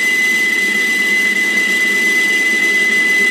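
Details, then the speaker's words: Lathe boring a Stuart Models S50 engine cylinder at about 450 rpm, roughing with an aggressive power feed: loud steady high whine at one pitch over the cutting noise from the power feed motor, owner plans replacing it with a NEMA 23 motor. "now i am going to turn my feed on for this and you will hear the feed motor running that's what the noise the whiny noise in the background is"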